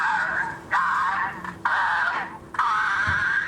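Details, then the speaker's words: Vintage Dr Who Dalek toy voice box after its motor bearings were cleaned and re-oiled, running on batteries. It gives drawn-out, warbling voice phrases with sagging, wavering pitch because the motor runs too slow, producing a distorted "possessed" playback. "That doesn't sound right. Shall I take it outside? Yeah, it's a bit possessed, yeah."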